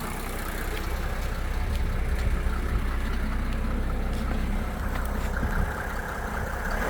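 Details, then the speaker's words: 1987 Mercedes 300SDL W126 OM603 diesel running on diesel purge, after a few revs; smooth, even idle with a soft low rumble, much quieter, the earlier injector clatter gone; normal diesel idle. "Wow, this is completely changed. I just gave it a few revs. It sounds so much quieter. The clackety is gone."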